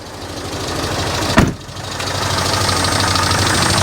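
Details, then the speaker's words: 1995 Daihatsu Feroza after oil pump replacement for low oil pressure, warming up, 65 psi oil pressure, no leaks: steady, even idle with a low smooth pulse and one brief clatter; normal warm idle. "Alright, oil pressure is still good at 65 psi, so it's starting to get hot, which is great. Fairly normal operation."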